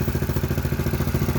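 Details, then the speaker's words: Honda GX-series small single-cylinder engine that started hard and ran rough from an intake air leak, now sealed: even, steady idle thump with no hunting, no stumbling when fuel sprayed nearby; normal idle. "So it's no longer drawing in the fuel. We got things sealed up. It's going to run like it should."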